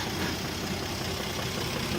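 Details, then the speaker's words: 1967 Jeep Gladiator with 6,000 original miles, revived after more than 40 years dormant and run without exhaust: smooth, even idle with good oil pressure and a steady vacuum above 20 inHg, a quiet and healthy valve train. "so all the valve train is extremely healthy sounds quiet"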